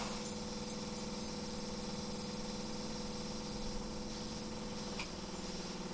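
Rough cold diesel idle with an uneven knock running about four times a second over the clatter; source of the knock undetermined.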